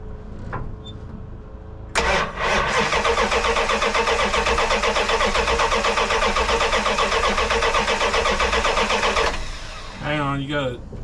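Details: 1984 Dodge D100 with a swapped big-block V8 and 600 CFM Edelbrock carb: the starter churns steadily for seven seconds but the engine never fires. This follows cleaning gunk from a clogged fuel filter and line, and a fuel leak is suspected near the filter.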